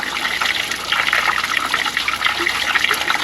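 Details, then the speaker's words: Ram 2500 heater core being flushed with a water hose for low heat, no cleaner used, after a blockage or air gap blew out. A strong, continuous gush with no sputter means clear flow. After refitting the hose, heat was at about 90% at 154°. "that's a lot of pressure. It's done flushing."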